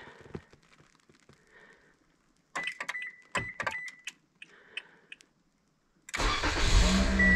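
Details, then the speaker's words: 2015 Toyota Corolla first remote start after iDatastart HC remote starter installation: clicks and handling noises, then engine cranks and catches into smooth, steady idle; healthy start. "now the all famous question will it remote start"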